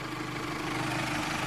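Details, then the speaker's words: Car engine running just after a new battery was fitted (the old one was over eight years old and getting weak): steady droning hum with a coarse, raspy edge; noisy rough running, cause not confirmed. "see it runs but it's like kind of noisy yeah this morning when i tried to start the car it was like so got a new battery now my old one's in the trunk"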